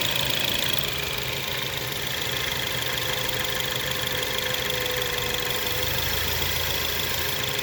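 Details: 2017 Ford Focus ST at idle: steady idle with busy ticking chatter and faint hissy tone on top; abnormal idle noise, owner suspects a vacuum leak or something else, not confirmed.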